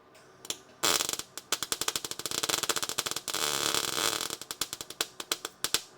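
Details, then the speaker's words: MIG welding on a 1969 Dodge Coronet 500 sedan restoration: arc spits and pops in uneven bursts instead of a steady sizzling-bacon sound, wire penetrating too much; better sizzle once stitch welding at an angle. "Hear that? That not good. It's not what we want. We want it. We It should sound like sizzling bacon"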